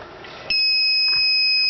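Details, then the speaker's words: Small solar-battery inverter trying to run a fridge gives a sudden continuous high-pitched double-tone beep and keeps showing an SC error; it will not take the fridge. This is an overload or short-circuit alarm. "My Inverter will not take it. It keeps giving me an SC error."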